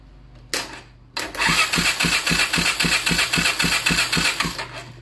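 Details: ATV crank-no-start diagnosis, spark and fuel confirmed present; starter spins engine in even chug about four beats a second but never fires or catches; spark plug condition to be checked next, cause not confirmed.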